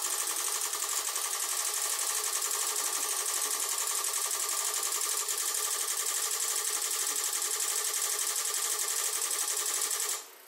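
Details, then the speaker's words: Mackie SRM450v2 powered speaker amplifier (blowing mains fuses) on a bench supply at about 38 V: fast, steady hissy clicking as the supply hits current limit from the overloaded amplifier, stopping abruptly near the end. "right so the power supply has gone quiet that's applying i don't want to refocus the camera 2 amps 38 volts that's why you can't hear the clicking"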